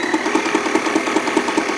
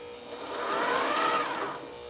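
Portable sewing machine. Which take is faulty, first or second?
second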